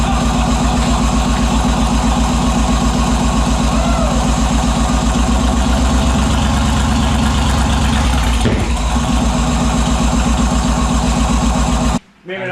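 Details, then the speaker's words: Turbo 5.3 LS-swapped Mustang with unfinished tune: loud, lumpy, uneven idle that hunts and then cuts out abruptly; won't stay running, suspected too much throttle and too much fuel. "then it just didn't want to stay running that okay i'll just try not touching it it would yeah i was giving it too much yeah obviously"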